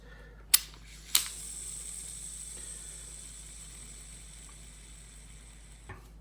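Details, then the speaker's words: KastKing Royale Legend Elite baitcasting reel after installing Spool Speed ceramic bearings: two clicks, then a thin high whir fading evenly over five seconds, slight bearing hiss; free-spinning spool, normal, ceramic bearings slightly noisier than stock. "I mean, these bearings were pretty good from the factory, but I tell you what, these ceramic bearings from Spool Speed, they really go. They fly."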